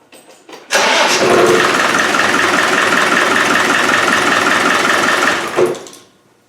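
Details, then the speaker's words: Land Rover 300Tdi diesel first start after head replacement, following cranking without fuel to circulate oil; short crank, catches at once, settles into a steady, even clatter before shutting off: healthy start and idle. "great success and the oil away Quinto so obviously I wasn't cranking it you know well that sounds alright girls"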